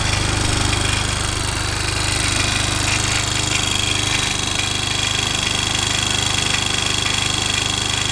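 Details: Honda Recon ATV reassembled after seal work, no leaks overnight: small single-cylinder thumps along at a steady quick idle, about three and a half beats a second, even and unbroken; normal idle.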